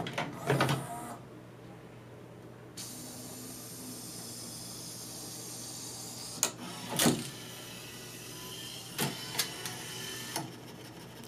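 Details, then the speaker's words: Laserdisc player trying to play side two: quiet whir broken by sharp clacks every second or two, no disc spin-up, as the laser sled repeatedly knocks against its end-stop. "[this time you can hear it knocking against its end] It's literally hitting the end-stop on its travel like banging its head against the wall."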